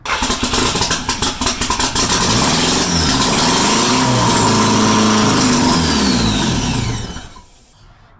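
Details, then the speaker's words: Porsche 944 with a swapped 1.8T engine, first start after a year and a half of work, with no exhaust fitted so smoke comes out into the engine bay. It catches after a few cranks, revs with a loud raw open roar and drops off cleanly. It runs. "I don't have exhaust that's why all the smoke is just coming out getting my engine bay dirty but oh yeah this thing runs"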